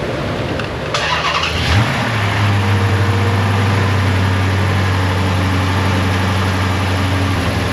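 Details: Dodge Charger after work, oil full and transmission fluid added, battery reconnected: starter cranks briefly, engine catches and settles to steady even idle, no knocks or misses; cam timing codes still a concern.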